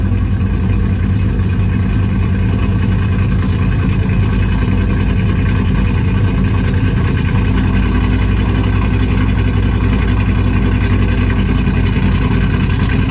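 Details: 2008 Ford Mustang GT after new spark plugs and fuel injectors: steady low idle with uneven, lumpy pulse and occasional stumbles; passenger-side misfire traced to a cracked cold air intake sucking air, a vacuum leak.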